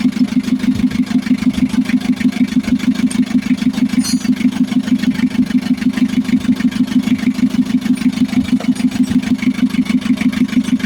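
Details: Mitsubishi L300 FB diesel idling after a hard-starting fix (injection pump replaced after it stopped supplying diesel, messy wiring, starter, alternator and grounded ignition switch sorted): even clatter about two beats a second, steady, no misses or knocks; healthy idle.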